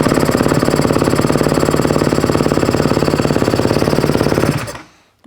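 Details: Dirt bike single, cold start knob pulled: crisp, even beat at steady fast idle with no misses or ticking, then cuts off cleanly; healthy.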